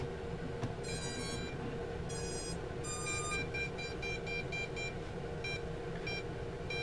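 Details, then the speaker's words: Bugs 3 drone version 2 board, red button held at power-on to bind with a version 1 transmitter: short high beeps repeating about twice a second; the v1 transmitter will not bind to the v2 board. "so there you cannot even bind a version one transmitter to a version 2 board it just doesn't work"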